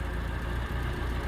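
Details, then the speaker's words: 1970 Citroen DS after fuel filter change, flat battery: low uneven idle with dips and stumbles, then dies and won't restart; owner suspects fuel starvation and a carburetor rebuild. "It's dying now. It's dying. Here you go. It's That's about as long as you get and then it dies. And now it won't start."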